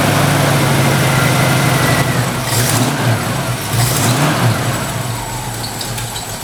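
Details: 1968 Ford Mustang V8 revving after 12 volts jumped directly to the ignition coil cured bad voltage; deep steady burble swelling and settling with throttle, no misses or knocks, belt noise to tighten; normal running and revving.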